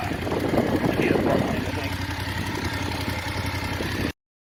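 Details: BMW F850GS twin idling with a light, quick tick about four a second, probably top-end valvetrain. The owner says the bike has ticked since early ownership (about 1,500 miles) and is seeking a warranty engine replacement.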